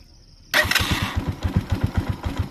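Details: Motorcycle, restarting after it stalled at idle: after a quiet pause the engine catches hesitantly and fires in lumpy, uneven beats; idle is set too low and needs a little throttle or raising the idle to rebalance the mixture.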